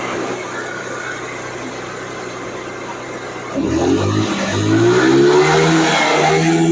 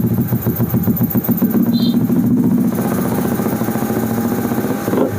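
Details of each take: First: Carbureted Honda Vario (early generation, KPB code) that came in dead, revved after repair work: steady idle, then throttle blips rise and fall cleanly with smooth, even pickup; normal revving. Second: Carbureted Honda Vario (early generation, KPB code) running during a charging check reading about 14 V: fast, even putter that stays high without settling, and it drops when the rear brake is pressed; idle speed set too high.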